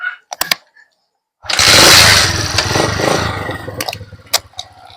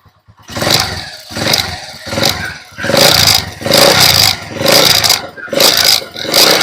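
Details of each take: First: TMX Alpha 125 motorcycle: catches and revs strongly, then sags and dies within seconds when the headlight is switched on, leaving only clicks. Stalls under headlight load. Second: TMX Alpha 125 motorcycle, running with the battery disconnected: repeated throttle blips about every 0.7 seconds rise and fall cleanly and it keeps running. Normal running; original fault was no charging, e.g. a failed stator charging coil.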